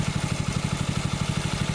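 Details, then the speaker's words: Predator 6.5HP Honda-clone single-cylinder engine after water-seizure clean and rebuild, break-in idle about 15 minutes after start; steady fast even thump with no knocks, misses or smoke, normal idle. "It's been running, I don't know, how many minutes do I have on this thing? It's been running about 15 minutes now."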